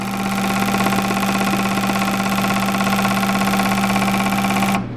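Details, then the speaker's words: Bench flow test on the turbo K24 Civic EP3's fuel injectors: pump hum under fast, even clicking from a known-good Bosch 2200 nearly filling the beaker, while the customer's injectors flowed virtually nothing, explaining the poor throttle response. "I don't even think I'm going to be able to finish this test without overflowing the beaker on this one up it's going to start spilling out"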